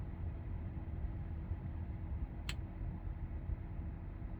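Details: 2021 Tesla Model 3 cabin: single sharp tick every few seconds over low steady rumble, for a couple minutes after each start-up then stops, also while driving; owner suspects it comes from a speaker or tweeter; intermittent cabin tick.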